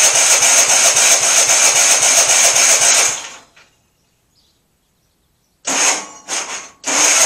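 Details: MTD auction lawn tractor after full tune-up and new cheap fuel filter: engine catches, runs rough three seconds, dies, restarts in sputtering bursts; won't keep running. Fuel reaches carburetor; owner suspects bad carburetor, likely needs new one, unconfirmed.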